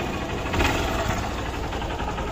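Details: Hero CBZ Xtreme single cylinder, with the piston suspected about 90% seized. An even, steady idle with no knock or rattle standing out: the engine runs smoothly and sounds healthy.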